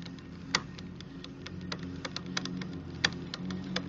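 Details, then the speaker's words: New 2018 RadMini electric folding fat bike, rear derailleur deliberately set until noisy: uneven sharp ticks and clicks over low motor hum as chain rubs, brake pads also audible; limit screw too tight, to be backed off until clicking stops. "So what I'm going to do is I'm going to just back off on that until it doesn't make any more noise like that, that clicking noise."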